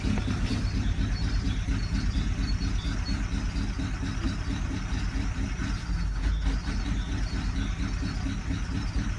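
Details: Idling Ford Galaxy engine with a rough, repetitive clacking knock over a deep steady rumble.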